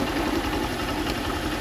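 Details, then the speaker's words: Honda CG Start single-cylinder motorcycle just started at idle: rapid light knocking over the beat, possibly around the clutch side; the engine sound changes when the clutch lever is pulled. Cause not identified. "Um, ó, dei partida e a mesma começou fazer o barulho, tá?"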